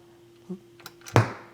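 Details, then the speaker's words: Pioneer QX-747A quad receiver playing music, then a faint hum and one dull thump at switch-off. The turn-off pop comes from both channels, and the owner suspects something common to both channels, likely the power supply. Not yet traced. "hear that pop so we're going to have to figure out what that pop is I would suspect probably a cuz it's coming out of both channels I suspect something in the power supply"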